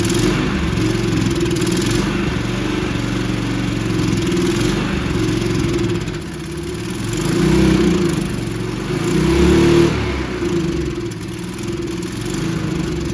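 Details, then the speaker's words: Free abused Toro 20333 push mower, Briggs & Stratton single-cylinder, after quick carb bowl clean of water and debris: steady low drone with mild speed swells; running again. "I think that will be enough to make it run it might not run perfectly but if we can get to run we can probably bring it back around"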